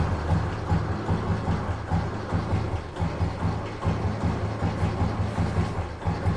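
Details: Fully restored 1971 Royal Enfield Bullet single with its original exhaust system. It idles with a slow, even low thump and no ticking or clatter, and the engine is described as well set up with no mechanical noise.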